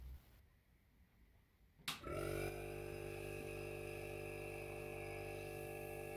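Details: Domestic fridge transported lying on its side, then stood upright 5 minutes before switching on: compressor kicks on about two seconds in and settles into a steady, even hum with no knocking or rattling; running normally.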